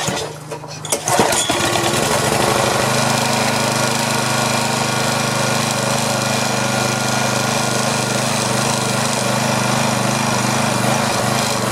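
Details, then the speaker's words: DR Trimmer/Mower model 60B, about 1997, restarted after cleaning with fuel flowing: small engine runs with uneven lumpy beat three to four pulses a second, not settling; rough running, owner blames worn-out carburetor with chewed intake post, plans replacement. "yeah so it's still running pretty crappy that carburetor is just too far gone"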